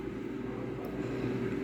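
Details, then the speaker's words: Jaipan digital air fryer at 200 degrees with a 5-minute timer, fan running continually with a steady, even low hum and no knocks, rattles or pitch wobble; the relay cycles the heater, normal. "When the temperature reaches 200 it turns off, and when it reduces again it switches on to the heater. The fan is continually on. The sound you can hear is of fine."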